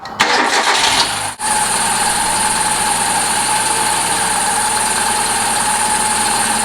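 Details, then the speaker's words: 2005 Hyundai Accent after power steering pump replacement with original pulley swapped over, engine starting and idling while the wheel is turned: smooth steady run, no squeal; the old pump screamed and locked up; now quiet and healthy. "there you have it steers wonderful quiet no more screaming"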